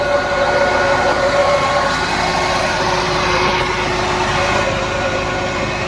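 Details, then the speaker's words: Maruti WagonR idling: steady whirring drone with hum tones from the new radiator fan only when AC is switched on, noise drops with AC off; customer complaint of fan noise/vibration. "बिल्कुल यहाँ की तरह AC चालू है। फिर यह radiator प्रशंसक की ओर से बहुत शोर या आवाज आ रही है।"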